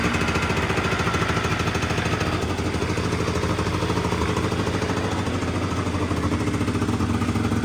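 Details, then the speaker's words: Honda Dio 100cc two-stroke scooter project, first start; fast, busy buzz holding steady high speed with no drop to relaxed idle, owner notes revs too high: high idle speed. "за великі обороти ть"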